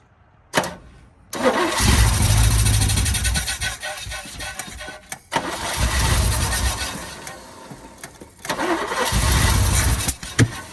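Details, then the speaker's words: 1972 Chevy K10 4x4 with 350, sat 20+ years: cranks, catches and runs briefly then stumbles and dies repeatedly, with good oil pressure; fuel delivery suspected. "It has really good oil pressure when it does fire, so I'm not worried about hurting the engine that way. It just doesn't seem like it wants to run very good."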